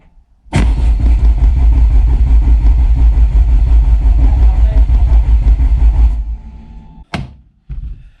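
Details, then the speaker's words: Peugeot 205 GTi Mi16 engine build, first start attempt with ignition coil disconnected, cranked on a fly lead to build oil pressure: steady even cranking about six seconds until the oil light goes off; normal cranking. "Let's crank it. Let's crank it till the little red light goes off."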